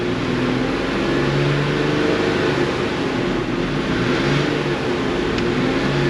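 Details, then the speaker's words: Kia Sedona with camshaft timing fault: engine runs rough and lumpy when revved, unchanged by belt tensioner check; intake cam phaser suspected stuck far out of position, phaser or solenoid. "I can't stop it from making a noise but I can change the noise we'll bring her up vital and see if it gets a little better or not and it's not happy no matter what we do so the cam phaser got to be all all the way all the way gone"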